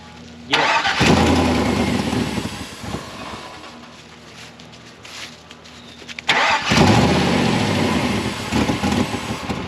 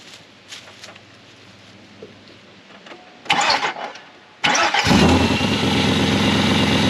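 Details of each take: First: 2000 GMC Sierra, 6.0 LQ4 V8, first start: cranks, catches, revs unevenly, then idle sags, hunts and dies out twice; runs clean above 2,000 rpm but won't idle, cause not yet pinned down. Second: 2000 GMC Sierra, 6.0 LQ4 V8, idle stall fixed by unplugging the MAF sensor: a few quiet knocks, then it cranks, catches cleanly and settles to a steady idle; a bad bearing is felt vibrating.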